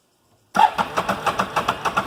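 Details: 2008 Can-Am Outlander 650 with an intermittent crank, no start after a couple of restarts or after running about a minute: starter spins the engine at a steady, quick chug but it never catches. The cause is a failed crank angle sensor.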